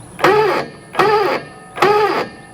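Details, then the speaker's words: Airstream trailer jack run up and down after silicone spray: three half-second bursts of drawn-out grinding groan from inside the jack despite prior lubrication; cause not confirmed, owner rules out the shaft. "It actually sounds like the noise is coming from here, though. And I've already lubricated everything in there."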